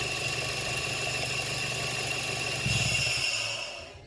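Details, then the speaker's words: Toyota Yaris T-Sport (VVT-i), buyer's guide check: quiet, even low idle around 800 rpm with no timing chain rattle, then engine shut off; how the engine should sound. "So as you can hear, there's no chain rattle, it's perfectly fine, really quiet. So yeah, that's how the engine should really sound."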